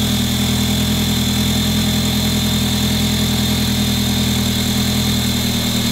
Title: A3 cold start crazy screeching noise from engine